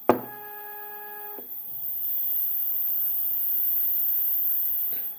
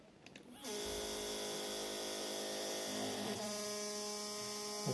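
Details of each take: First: Second Z-axis stepper running alone on a Duet board, stock settings of feed rate 1000, 2 A, acceleration 120: a short beep, then a clean steady hum with no grinding or stutter. Sounds normal. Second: 3D printer Z-axis, two stepper motors in parallel on one driver at 4 A peak (2 A each), feed rate 1000: a loud buzzing hum starts abruptly and shifts pitch as one motor stalls and the other vibrates. Began after an earlier stall crash; cause unknown.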